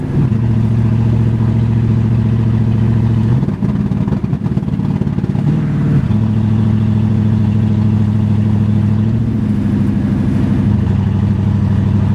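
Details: 1981 Mercedes 380SL V8, K-Jetronic, first test drive after replacing dead fuel pump, rusted leaking fuel lines and fuel control relay: steady drone under load, then stumbles ragged mid-pull; misfiring, sputtering, lack of power, cause unclear.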